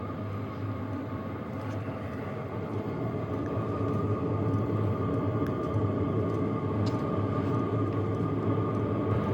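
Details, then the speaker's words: HCalory Toolbox Max diesel heater on lowest setting, recorded at the heat ducting outlet; steady low fan rush with a very faint slow regular fuel pump tick underneath; normal low-setting operation. "So this is the heat ducting outlet on low. I don't know if you guys can hear that slight tick, but it is very hard to hear. If it is outside your tent, you will not hear that."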